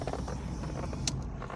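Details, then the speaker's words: 1952 Jaguar XK120 on choke: low, uneven, lumpy idle with not all cylinders firing; it misfires, won't rev with the clutch engaged, and stalls with the choke off. "She's been a bit temperamental lately, misfiring and refusing to rev if I kept the clutch engaged for no obvious reason."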